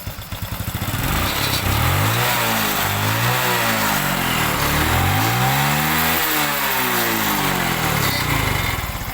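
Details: Honda Revo Absolute/Revo Fit injection motorcycle engine after rebuild with crankcase replaced, cover now closed: runs smooth and even, rising and falling cleanly through several revs with no knocks or rattles; healthy.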